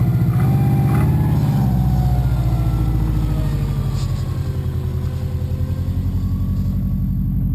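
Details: Subaru with Wiseco forged pistons, 0.0025–0.003 in piston-to-wall clearance, idling cold at about 2°F after −15°F night: hollow, rapid evenly spaced piston slap knock, not fully gone when warm, louder in colder ambient temperatures.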